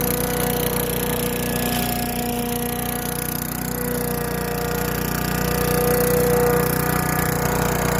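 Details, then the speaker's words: Craftsman Eager 1 4hp chipper vac (model 987.799790, auction flip) in vacuum mode with bag fitted. It holds a steady drone with a faint whine while sucking up long, wet grass. Working normally under load. "Looked like it sucked up. The grass is a little bit long and it is wet out here. So it is working."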